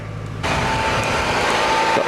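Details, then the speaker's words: 1999 Toyota Camry, heard from inside the car, before draining battery for a jump starter test: short starter whir, engine fires at once and runs smooth and even; normal start. "i'm going to turn on the ignition just to show you that it's working fine before i drain the battery see it's working you can hear the noise there"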